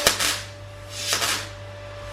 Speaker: I refer to that noise as a stalling noise so I would say wire speed to slow and the weld stalling you can hear that it's sort of intermittently arcing out and not really doing a great deal